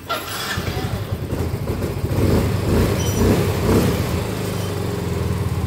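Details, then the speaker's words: Soul GT 125 scooter after a repeat engine teardown for a rattling engine (piston damaged again), with oil flow to the block confirmed: a low, even putter with no knocking or scraping. The engine idles smoothly again after repair. "Oke dikarenakan motornya sudah bagus dan suara mesinnya sudah halus kembali"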